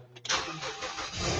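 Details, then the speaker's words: Ford Escape with a no-crank, no-start fault, after an old jumper wire to the starter was removed; a short crank, then it catches promptly and settles into a steady idle, with the check engine light on: a normal start. "Ayun kumalikalimbang na. Umandar na mga paps."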